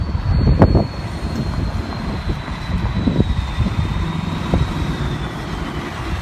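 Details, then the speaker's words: 7.3 Powerstroke diesel-swapped Ford Bronco on its first drive out of the shop after the build: diesel drone, road rumble and faint whine as the automatic transmission slips a lot, caused by low fluid (level not rechecked once put in gear). "you can hear the transmission sounds to be slipping a lot and that is a hundred percent what it's doing the we forgot to recheck the fluid level once we put it in gear and it was just low on fluid"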